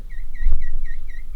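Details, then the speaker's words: Newly built PC from second-hand parts at first POST: high chirping squeak about four times a second over a quiet hum; builder suspects the pump, unconfirmed. "and that i think that's the uh the pump"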